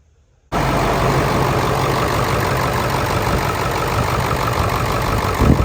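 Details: Ford 7.3 Powerstroke diesel, started in the morning at about 70 degrees outside, earlier seen with blow-by: steady, even idle clatter, no knock or miss. Exhaust smoke cleared after running; owner suspects an injector.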